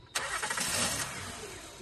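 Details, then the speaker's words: 2010 Honda Odyssey cranks, catches with a burst, then dies within a second as if suffocated; spark present, air filter clean, mass airflow (MAF) sensor suspected of sending bad data so the computer shuts the engine down. "The air filter was clean, but the way the engine shut down felt like it was being suffocated."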